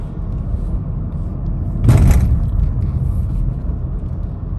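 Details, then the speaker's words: Honda City 5th gen, in-cabin under hard acceleration above 2000 rpm: steady deep engine drone with no knock or rattle, which goes silent below 2000 rpm; ordinary engine noise that is not a bad sound. "okay and in case you do you will enjoy this sound it's not a bad noise"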